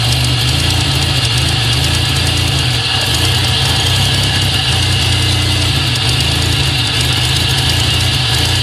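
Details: 2000 GSE on a cold morning start: loud, uneven idle with a stumbling beat, injector tick and backfire pops; misfire goes away once warm, no codes, cause unknown.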